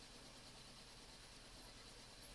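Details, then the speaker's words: 2002 Toyota Yaris with engine management light on: uneven, lumpy, tractor-like idle with the engine shaking; a cylinder misfire breaks the regular firing beat. "basically this car has a rough idle sounds like to tractor"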